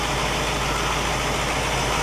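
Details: 1960 Pontiac Catalina 389 V8 idling on a Heathkit IO-20 ignition oscilloscope: steady, even idle with smooth low rumble, no misses, knocks or ticks; ignition spot on, engine running fine.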